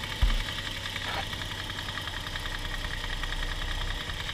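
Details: Toyota 1G-FE (Altezza / Lexus IS200/IS300), fully warmed, idling: sharp, even ticking knock keeping time with engine speed from the front timing end. No noise when cold; owner suspects the VVT clutch, not confirmed.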